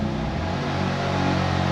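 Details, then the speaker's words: BMW M2 Competition first start after engine swap, fluids vacuum-bled: no check engine light, but idle wanders up and down, likely the ECU relearning the different motor rather than a clear fault. "Idle's kind of all over the place. Probably tripping out on the fact that the motor's running differently than before."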